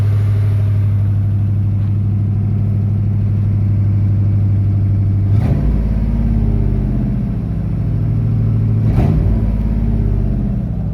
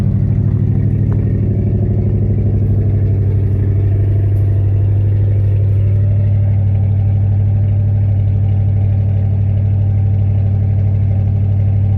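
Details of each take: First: Truck V8 started after sitting several years, steady low idle a touch fast with two quick throttle blips; slightly high idle, owner suspects fuel aerating from fuel-line setup; no bottom-end noise, slight misfire noted. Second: V8 truck just started after about 3 years sitting; idle a little high, owner suspects fuel aerating from fuel line setup. Deep even burble, no bottom-end knock; slight misfire noted, may need ignition tune-up; settling in well.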